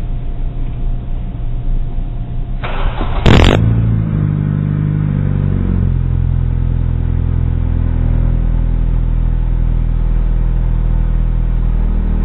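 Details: Chevrolet Aveo with a loud aftermarket muffler; loud blat on a quick rev, then a ragged, puffy rumble at idle from an exhaust leak.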